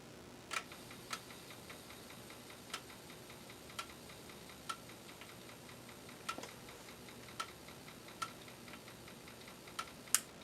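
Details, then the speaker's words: Amiga floppy drive (ZIF 500) not reading, test boot with Amiga Test Kit 1.6: sharp dry ticks at uneven half-second to one-second gaps over hiss; head keeps seeking without reading, head suspected stuck, not confirmed. "That don't sound good. Alright, so that doesn't work for nothing. It sounds like the head's getting stuck."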